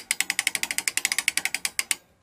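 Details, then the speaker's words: Restored 1890s T-handle ratchet brace cutting a thread with a large tap in a board: crisp evenly spaced ticks, about ten a second for two seconds, then stops; healthy ratchet pawl under load. "You know what that is, right? That's the sound of success."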